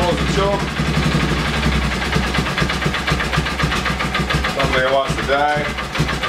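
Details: Polaris Ranger 6x6 single-cylinder, sat two years, fresh fuel from a reserve tank: fires up and idles unevenly, speed sagging as if about to die; carb needs tweaking, later running out of gas.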